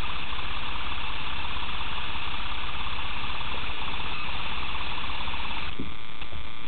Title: BRM Turbo Failure Play in Compressor